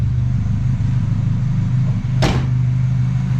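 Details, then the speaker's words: 1972 Ford Pinto Runabout with restored Motorcraft carburetor, mixture screw set 2.5 turns out: steady, even low rumble with no misses, knocks or hunting; clean, smooth idle just about perfect. "Pulled it 2.5 out and shouldn't be screaming because it's not loud. I mean, that's idled just about perfect."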